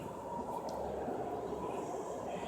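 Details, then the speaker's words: 1999 Chevrolet Venture 3.4 with 222,000 miles that died at a light and won't start: fuel pump hums priming at key-on, but the gauge shows little or no pressure; pump is weak and is to be replaced. "you can hear the fuel pump priming but there is no not enough pressure so our next step fuel pump"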